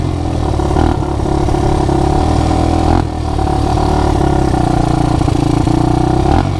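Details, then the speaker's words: ATV after a new spark plug, carburetor still needing another cleaning, previously wouldn't run: engine picks up cleanly, holds steady revs with even firing and drops back smoothly; running healthy now. "you couldn't ride it before it wouldn't say running so this is nice very nice"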